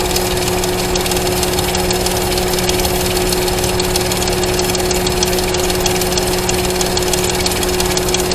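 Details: Engine idling with its valve covers off during teardown, oil burning off. A light, uneven chirping tick over a steady drone. Owner first suspected rocker arms but found them fine and no cam bearing noise; next suspect is the timing chain guide.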